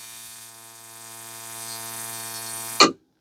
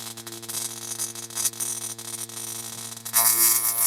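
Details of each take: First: Reproduction Simson/MZ ignition coil tested on Bosch tester at 10–12 mm spark gap: even buzzy crackle of rapid sparks without skipping, ending in sharp snap; strong, full spark, misses only from 13 mm, far better than original GDR coil. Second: Simson/MZ ignition coil on Bosch tester spark gap at about 12 mm: irregular snapping sparks with gaps then hissing discharge, spark barely holding with misfires and weak stringy sparks; possibly a contact problem, clean and strong at 10 mm.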